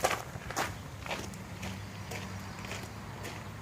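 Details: Kohler 7000 W RV generator in a GM PD4106 bus conversion, revived after Seafoam in the fuel, carburetor not yet cleaned: steady, even low hum at 1800 rpm, no surging or missing, footsteps on top; runs smoothly.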